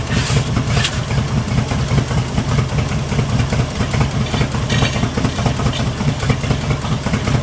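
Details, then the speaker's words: 1974 Jeep CJ5 rock crawler that sat for years, first start after a PB Blaster soak, new plug wires and a fresh battery: a low, stumbling, wandering idle that barely holds. Owner will raise the idle until varnish and stale gas run through. "I don't want to die there a little bit to adjust the idle a little bit up until I get some of that varnish and stretch gas running through there"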